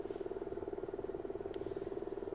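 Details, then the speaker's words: 2007 Toyota Avalon blower motor on high, which had been cutting in and out and making noise: fast, even fluttering hum with rapid pulsing chatter but little airflow; failing blower motor. "hear the noise but you're not feeling the ears not blowing"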